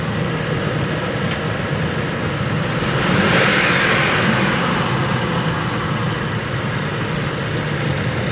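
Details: 2002 Ford F-150 4.6 V8: steady idle, then a hollow rushing whoosh from the intake as revs fall after throttling up, heard on deceleration and not every time; source not identified.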